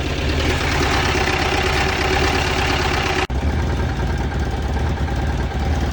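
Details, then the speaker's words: 2010 Mazda engine that arrived seized with zero oil, freed using ATF and penetrating oil, running on three cylinders with about a quart of ATF in the cylinders. A harsh, uneven idle with heavy knocking and a stumbling misfire that briefly cuts out; rod knock. "yay that was violent uh alrighty friends that was one of the most gratuitously destructive things i've done in a while"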